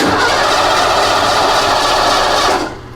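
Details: Ford with EEC IV ignition, key on: steady starter cranking at about four turns a second with no firing at all, then cut off; cranks but won't start, no spark, coil power and control wires being checked.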